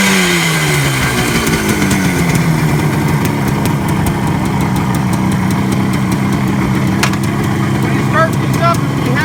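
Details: 1967 Kawasaki A1 250 two-stroke, freshly tuned up with donor parts, little choke, on reserve fuel: fires with a quick rev that drops away, then smooth steady idle with no misfires or rattles; healthy.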